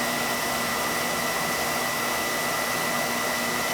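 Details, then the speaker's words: Beckett oil burner that was tripping its reset button, after boiler brushing, new pump coupling and nozzle: smooth, even roar with a faint steady tone and no pulsing or sputter; good oil flow, spark and draft, firing normally. "I brushed down the boiler no more with the pump coupling new nozzle good oil flow good spark we're getting a good draft too now so it should be it hold that ride"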